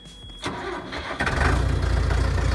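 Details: 2001 New Holland LB75B backhoe diesel, 1,800 hours, grid preheater (no glow plugs), about 30°F after sitting: brief crank, catches within a second and settles into steady even idle; normal cold start.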